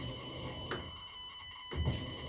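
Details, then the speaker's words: Renault Clio 4 0.9 TCe turbo, ignition on during diagnostics after fuel pump relay code cleared: two short quiet even electric whirs as fuel pump primes; normal, no codes. "and i can hear the pump being activated and we've got no codes because there is nothing wrong"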